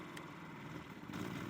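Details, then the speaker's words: Budget inverter generator (Predator vs Costco Firman comparison) as a heater load is added: a steady low drone that rises and grows louder. It responds normally. "So you can hear that change in the generator already. Add the motor in, and we'll test that. It's definitely got a bigger draw on that machine now."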